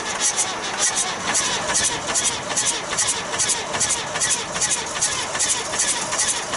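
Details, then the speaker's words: 1966 Austin London taxi diesel, first start in years: sharp rhythmic puffs about two and a half per second as air blows back through the intake; suspected intake valve problem, valve cover pulled next. "i think we got a maybe a intake valve or something right i can hear it"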